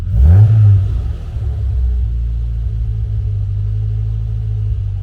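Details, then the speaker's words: Classic Mini Cooper after freeing a stuck switch with WD-40: short rev blip falls straight back to a steady, low idle without hanging; return to idle now working normally. "and it drops back down again so that's now working"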